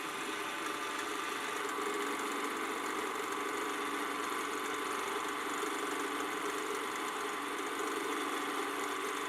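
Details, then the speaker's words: Canon Scoopic 16M film camera after partial lubrication, running about a minute with take-up reel loaded: whirring motor hum gradually turning lumpy and rougher, bogging slightly; suspected unlubricated spot inside. "So as you can hear, it gradually sounds rougher and rougher, so I think there's somewhere that's missing the lubrication, which unfortunately may require the camera being stripped down again."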